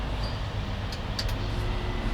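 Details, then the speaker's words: BMW 340 flooded to the roof, water in all cylinders drained; first start, deep heavy steady low rumble with heavy smoke from rear. "вона завелася, я не вірю. Як звучить. Як так, машина була топлена по дах"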